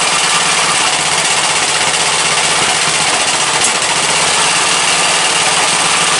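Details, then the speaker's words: Briggs & Stratton 17.5 OHV single-cylinder lawnmower engine after a hand-cut gasket and tuning, running at a steady, even hammer with a bright top end and no stumbles or knocks; starts every time with the key, compression release working, runs like new. "But it runs good now. It starts over every time with the key. The compression release is working properly."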